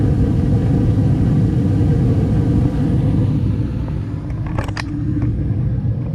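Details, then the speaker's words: 2012 Bryant Legacy Line gas furnace on its first startup of the 2025–26 heating season, October night at 50°F, recorder placed at the back near the blower. Steady, low, even rumble of blower and burners with no knocking; normal operation. "Well, there we go. It's running. First time in the 2025 2026 heating season."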